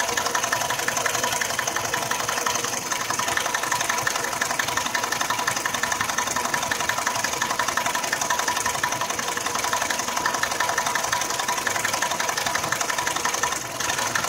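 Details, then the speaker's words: Nissan X-Trail, 346,000 km, rebuilt 2.5 years ago for oil burning; quiet when cold, at warm idle after 11 minutes a steady light ticking knock about three per second appears near the timing drive; drive belt removed, no change; suspected timing chain. "вот ровно на 11 минуте мотор начал стучать плавно учит в районе привода грм"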